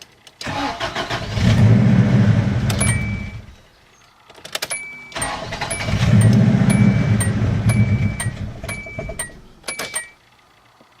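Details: Car with glow plugs at 225,516 miles, 19 miles since a Seafoam treatment, check-engine light on and blinking, owner suspects old gas: two short crank-and-fire attempts, each catching and stumbling unevenly before shutdown; rough start, cause unconfirmed.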